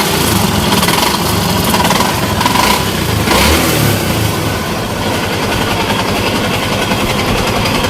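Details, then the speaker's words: Yamaha Exciter motorcycle engine before repair, revving: loud rough clatter with a coarse rattle rising with engine speed, worn crankshaft main bearings. "เป็นการถ่ายทำก่อนซ่อมนะครับรถเอ็กไซเตอร์กับอันนี้มาเครื่องดังกับก็ถ่ายให้ดูก่อนให้ฟังเสียงดูครับกับเสียงดังนะครับอ่า"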